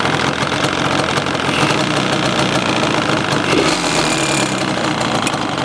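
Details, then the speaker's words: 2002 Yamaha Banshee 350 two-stroke, previously worked on by someone else, white or blue smoke: rough, raspy grumble with uneven rattly knocking at idle; owner suspects a bearing, cause unclear. "you hear like that I don't that supposed to sound like that like grumbling the type of noise in there how do you somebody's been in it I don't know what they did or that's like a bearing or something"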